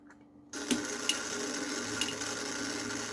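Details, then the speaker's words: Demolition Man pinball elevator mechanism motor, run detached from the elevator to check for struggling: steady light whir with faint ticks, speed holding even with no labouring; the motor spins freely. "that's moving moving beautifully look at that that is completely free and clear now"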